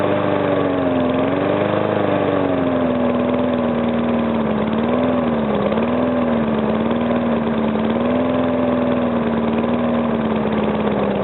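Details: Briggs & Stratton single-cylinder engine, first start after rebuild: runs steadily with slight speed variation and little to no knock; the earlier knock came from compression leaking past the piston, fixed by rearranging the rings and cleaning.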